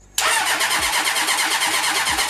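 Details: Half-scale NASCAR kart with 1980 Honda CB750C engine, first start attempt with a dry fuel pump and the fuel left off: fast, steady starter churn with an even rhythm and no firing; it cranks but no fuel is reaching it.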